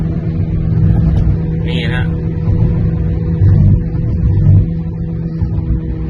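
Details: Car cruising at 30–40 km/h: steady low droning howl over road noise; tires checked fine, caused by worn front wheel bearings on both left and right, to be replaced.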